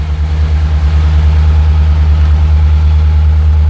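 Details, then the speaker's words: LS V8-swapped 1984 Ford Bronco II, EFI, cold start in warm-up mode at just over 1100 rpm, coolant 83° and climbing: deep even burble, steady pulses, no knocks or misses; warm idle normally 875–900 rpm. "so right now it's in warmup mode so it's just over 1100 [Music] RPMs"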